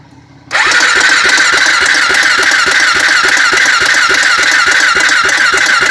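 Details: Honda 400EX ATV, cranked with a little throttle; steady starter cranking at about three and a half compression pulses a second, engine never catches; cranks but won't fire, cause unconfirmed.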